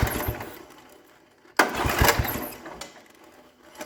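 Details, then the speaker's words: 1960s Toro Professional 70 reel mower, points just cleaned, spark confirmed, ether in the carb: a sharp cord pull gives a short rattling burst and a faint pop that fades to nothing; won't catch, the sediment bowl was later found plugged. "evidently nothing [Applause] all right I now know that it'll try to run Let's uh try and put some gas to it before we rebuild the carb"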